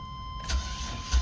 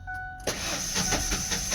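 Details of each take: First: Van sat unused for a year, battery connected: a short crank and the engine catches at once and settles into a steady run without needing a charger; quick, healthy start. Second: Car cranked from a jump pack: uneven, lumpy cranking of about 2.5 beats a second that never fires, not hitting on all cylinders; broken timing belt suspected, not confirmed.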